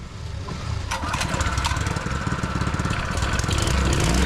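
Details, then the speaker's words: HTP power sprayer pump petrol engine after service, carburetor refitted (gasket and throttle spring checked); catches and settles into a quick, even firing beat building smoothly with no misses or rattles; normal running. "Ready ಆಗಿದೆ. ಕ್ಲೀನಾಗಿ ನೋಡಿ, ಸ್ಮೂತಾಗಿ ಉಂಟು engine ಈಗ."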